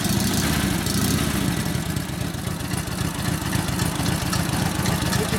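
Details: 1942 Harley WLA 45ci flathead V-twin after sitting a few years, being readied for a cross-country ride; steady, even thumping idle with a regular low beat and no knocks or misses; running normally.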